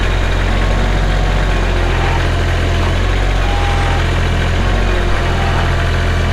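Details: Kubota L3240 tractor with pre-emissions 32 hp diesel, 94 hours, gear drive with mechanical shuttle, idling with a steady, deep diesel rumble and no knocks, misses or rattles; healthy engine.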